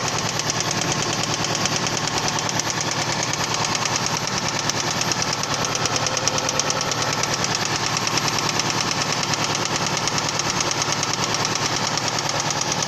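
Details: Toyota Previa 2AZ engine: sharp, steady metallic knock throughout idle; spun connecting rod bearings on crankshaft.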